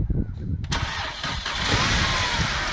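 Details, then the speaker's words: Mercedes-Benz C250 W204 after timing chain replacement, restarted after topping up empty power steering fluid that caused a noise: cranks briefly, catches straight away, smooth steady idle with no pump whine; normal start. "That's much better. Turn it off. Alright, good news, this car started first go."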